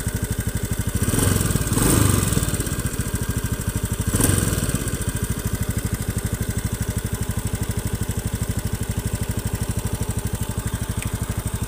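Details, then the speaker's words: Honda Beat FI scooter (K44/K81), hot idle and throttle blips: uneven, harsh, clicking rough beat about three per second. The engine runs rough when warm and is weak on climbs; the finding is valve guide wear with a compression leak. "Bukan ini suara ini Ketika saya gas atau langsam seperti ini ada suara kasar seperti ini ngiklik seperti ini"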